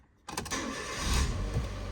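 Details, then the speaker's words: Slow, heavy cranking before the engine catches on a vehicle showing about 80,535 miles; the owner suspects the starter motor is on its way out and starting to seize and plans a starter service. The cause is not confirmed. "see the starter motor is becoming bit get seized so we are going to be have to do start a motor service"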